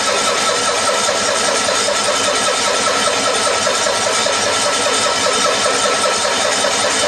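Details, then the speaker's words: 1974 Cushman Truckster Haulster cold start after sitting for years and a wiring fix. Long, even starter cranking with no firing while the mechanical fuel pump primes a dry carburetor from a full tank; it later starts and runs. "this still has a mechanical fuel pump in it so it's gonna have to crank a while to get fuel up to the carburetor"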